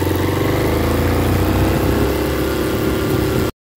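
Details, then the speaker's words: Motorcycle that had a noise near the front sprocket (chain, shaft or sprocket suspected). The worn front sprocket was flipped to its less-worn side. Engine now runs with an even, steady beat and no grinding or clatter from the chain side; noise resolved. "é meus amigos a gente só virou O Peão e o problema ali Resolveu entrar resolveu ali o problema"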